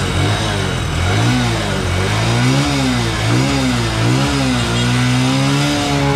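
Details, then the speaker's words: New Bajaj CT125 single-cylinder that suddenly died with loss of compression, after oil and fuel added to cylinder: revved up and down cleanly, no misses or knocks; carbon deposits on the valve caused it, running fine now. "kapag ka umandar mga boss ah paandar andarin niyo lang para mawala yung mga carbon deposit doun sa kanyang barbula"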